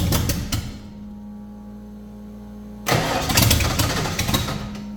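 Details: 1989 Ford Fox Body after fuel bowl found filling with fuel: cranks, catches, fades, refires and hunts unevenly, now trying to idle.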